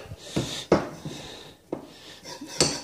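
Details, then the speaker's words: Cheap linear bearings on a 3D printer rod, moved by hand: harsh metallic scraping bursts each stroke, tighter at spots along the rod; bearings running with practically no grease. "practically no lubricant grease in these bearings at the moment and doesn't really sound like bearing on a sha that sounds more like scraping something across a metal floor"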